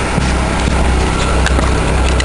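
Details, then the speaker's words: Buick Park Avenue with a newly replaced muffler, given a short rev: a steady low exhaust drone with no rasp or leak, staying quiet. The exhaust is smoky, which the owner wonders may be due to the cold. Normal exhaust note. "yeah that ain't loud at all nice and quiet pretty smoggy though I wonder if it's just cuz it's cold or what"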